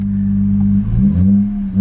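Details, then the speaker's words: Mercedes-Benz C300 W204 after new spark plugs for a rough idle and blinking check engine light: a steady, even hum with a couple of smooth throttle blips and no stumble or miss; the revs are consistent and the idle is now normal. "oops it's not yeah it's not rough piling anymore it's not the Rebs are consistent at one oh"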